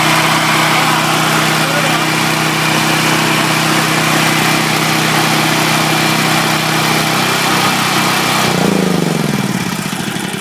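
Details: Powerland portable natural-gas generator after swapping the stock NGK BPR6ES for an E3.22 spark plug, started on third pull: small single-cylinder engine running steady and even, no stumbling or surging, then revs dropping as it shuts down. Normal running.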